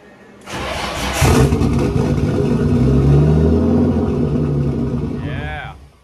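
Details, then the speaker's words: Car freshly swapped from KA24DE-T to an RB25DET, no throttle cable fitted: engine cranks, catches and runs unevenly for about four seconds, then revs sag and it stalls. Won't idle; owner later suspects the regulator, unconfirmed. "it won't idle and I don't have a throttle cable so I can't make it stay running well that's a letdown"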